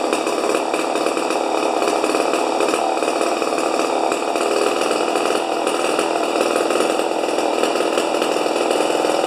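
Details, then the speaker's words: Rebuilt 50-year-old 100cc Homelite XP 1020 chainsaw at full throttle: steady very high scream that never drops off; max about 10,500 rpm versus the 9,000 rpm book limit, idle about 2,500; over-revving. "oh oh all right it says it says on the books under uh chain interest chainsaw interest or something like that 9,000 RPMs are the highest as it should go"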